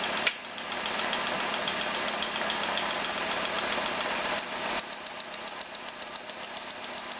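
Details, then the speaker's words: Engine during a running compression test, running rough on only three cylinders: uneven, lumpy idle with a sharp ticking snap a few times a second from the dead cylinder. "so let me start it up and we see we're running rough I'm holy on three cylinders"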